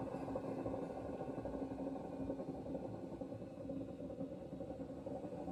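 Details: Hoover washing machine, 3.5 years old, drum turning: steady, heavy rumble with a droning hum throughout; loud rumbling noise, owner unsure whether bearing or motor, cause undetermined.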